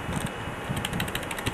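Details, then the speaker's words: Compaq Deskpro PC running in BIOS setup with a substitute power supply: rough whooshing fan roar with an uneven rattling tick; owner suspects the CPU fan is bad. "that fan sounds that crap I don't know what fan it is I think it's that one a CPU fan sounds like crap"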